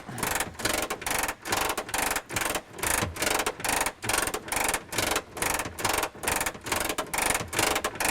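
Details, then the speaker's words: Messerschmitt Bf-108 under restoration, handle twisted to down position and gear cranked down manually: even ratcheting bursts about once a second, steady and smooth; gear lowers normally. "So of course, to put the gear down again, you're just going to twist the handle to the down position and just crank the gear down, and away it goes."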